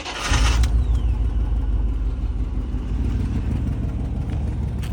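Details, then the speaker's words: 2000 Chevy Tahoe Z71 with 188,000 miles, check engine light on, idling: deep, rough rumble with an uneven puffing beat from underneath near the catalytic converter, an exhaust leak confirmed by moving grass. "hear that noise quiet underneath here but it's coming from right here yeah it's coming from right here"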